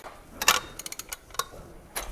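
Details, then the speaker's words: Range Rover L405 with a known mechanical fault, turned slowly by hand: scattered light metallic clicks and ticks, growing stiff; engine rotates both ways, so a timing chain problem is suspected. "It turns. Yeah. But can you hear that noise? Listen. It gets stiff."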